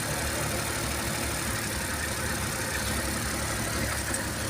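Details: Suzuki Every DB52 small petrol engine idling unevenly, its low beat stumbling from a misfire; DTC P0120 is stored; unplugging cylinder 3 gave no reaction, so its ignition coil is faulty, and cylinder 2 also misfires, with coils being swapped to test.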